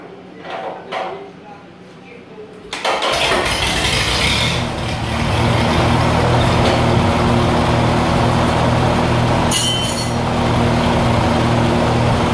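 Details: 1948 Lincoln SA-200 welder engine with short stack and resonator pipe (quite quiet) and added kill switch cranks, catches at once and settles into a smooth, even idle with no knocks; normal start and idle.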